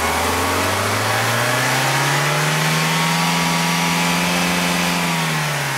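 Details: 1991 BMW E30 318is, M42 1.8L DOHC four-cylinder, new coil-on-plug, plugs, injectors, cam sensor, O2 sensor, 93-octane chip and fuel; revved in neutral, climbs smoothly then flattens, wavers, stutters near 5,000 rpm like a rev limiter; high-rpm hesitation.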